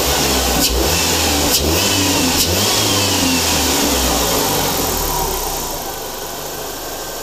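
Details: 2005 Jeep Wrangler TJ 2.4, over 3500 rpm above 3/4 throttle uphill: a fast metallic marbles-in-a-can rattle that eases as revs drop. No exhaust leaks, no codes; new timing belt, plugs and pulleys changed nothing. Cause unknown.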